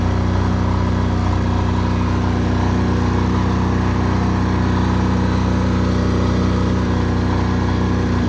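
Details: New Chinese air-cooled single-cylinder diesel generator (Yanmar L100 copy, 5000 W), first run test after bleeding fuel. Steady, even low thump at constant speed with no misses or sputter; running cleanly.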